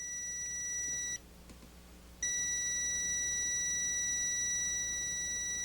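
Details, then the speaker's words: Continuity tester on Gorf arcade ROM/RAM board, probes on ROM socket pin 1 and pin 23: steady high-pitched beep, brief gap, beep returns and holds, showing pins 1 and 23 shorted when they should not connect. "pin 1 of any one of the ROM sockets and put it on pin 23, you can hear the short."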